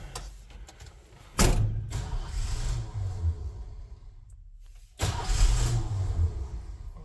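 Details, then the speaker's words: 1968 Ford F100 truck after valve adjustment, first start attempt: two long bursts of steady cranking with no firing because the ignition lock/theft deterrent was on; runs once it is switched off. "oh maybe our ignition thing didn't work maybe not see oh we got our ignition lock on"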